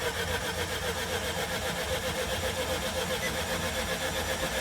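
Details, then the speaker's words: Nissan Qashqai 1.2 DIG-T after timing chain and failed VVT sprocket replacement, cranking without coil packs to build oil pressure: even starter churn about four beats a second, no rattle; spins over cleanly. "Yeah. Singing nicely, which is good. Right, that's oil pressure in there."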